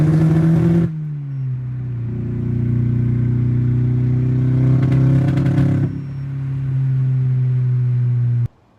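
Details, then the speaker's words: VW MK7 GTI turbo four-cylinder under full-throttle acceleration: low drone stumbling and crackling unevenly, misfire suspected from faulty ignition coils; normal driving fine; fixed with new coils and Denso IKH24 spark plugs. "I've had some misfires going on with my car under Full Throttle acceleration um under normal driving conditions it's been pretty de decent actually"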